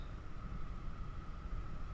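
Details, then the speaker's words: 2006 Dodge Stratus A/C blower motor behind glove compartment, after replacing the motor that made a high-pitched noise: on high (speed 4), quiet, steady whir with no squeal; new fan motor runs smoothly, noise gone. "there we go the motor is working fine except we don't have that noise"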